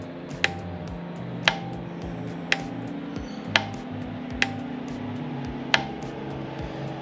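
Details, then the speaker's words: 1999 Yamaha Waverunner, 2-stroke 760cc: six sharp starter solenoid clicks, one per button press, with no starter whir or cranking; the fault is either the starter motor or a seized engine. "cuz all that click the clicking noise I can hear and I can feel it is this solenoid here maybe there's the problems down at the starter motor"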